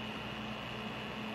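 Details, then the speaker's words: Kraken X61 liquid cooler fan at 100% fan speed, after a slight crackling at 25% (840 rpm): steady loud rushing drone with a fixed whine; owner checked screws, cables and fins and suspects worn fan bearings. "now I'm going to turn up to 100% fan speed so you can hear how bad it gets that is unbearable"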